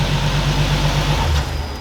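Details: Nissan 370Z started right after oil change with Motul 8100 Eco-nergy oil and K&N filter: catches and settles into an even, steady low pulse with no knocks or ticks before quieting; sounds healthy.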